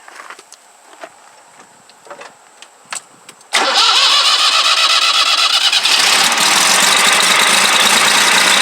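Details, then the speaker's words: 2007 Jinma Smartrac 284 tractor, Y385 diesel, just after injection pump replacement with air bled from the lines: cranks, catches and settles into a clattery idle with an uneven slight miss; owner unsure whether air remains in the lines or the pump timing needs adjusting. "as you can see it's running they have a little Miss and I don't know if I still got air in the lines or my timing needs adjust"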